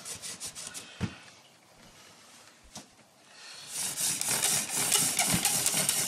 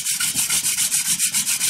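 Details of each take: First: Hand-drill fire-starting with a new, unused prickly lettuce spindle on a Western Red Cedar hearth; quick wooden rubbing with a squeaky hissing edge as the spindle slips, meaning not enough friction yet. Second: now we have friction you can see it's starting to smoke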